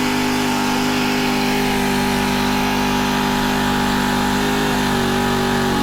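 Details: Honda FG110 with GX25 engine, previously ran only on half choke after owner fitted new carb; idle raised high during carb tuning and warm-up: steady, even single-cylinder hum, no surging or misses — normal fast idle.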